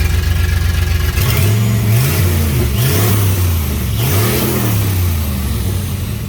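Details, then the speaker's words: 1989 turbo Fox Body Mustang, cold, after a Melling high-volume oil pump install and distributor/timing work: the idle lopes unevenly with a stumbling beat. It sounds like it's missing, oil pressure is dropping, and the cause is unclear. "man it sounds funny so"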